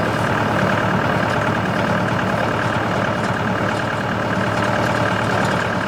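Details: CountyLine PTO post hole digger on a tractor, 12-inch auger in very hard clay, run gently to protect the shear bolt. Engine pulls steadily under auger load with an even drone, no clunks, grinding or strain. Worked flawlessly; normal operation.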